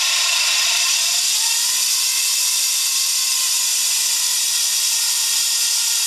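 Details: Daihatsu Hijet S321V alternator noise: steady, high-pitched hissing whine holding even throughout with almost no engine rumble beneath, coming from the alternator.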